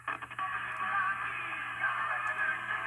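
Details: Simplex Model PB early-1930s tube radio, before recapping and resistor replacement, powered through a home-built Arduino solid-state synchronous vibrator: music plays steadily and cleanly, no mechanical vibrator clicking, normal reception.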